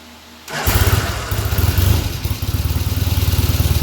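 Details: Restored 1975 Norton Commando Mk3 twin, Tri-spark ignition being timing-checked: quiet start, then catches and settles into a steady, even low thump with no knocks or misses; healthy idle.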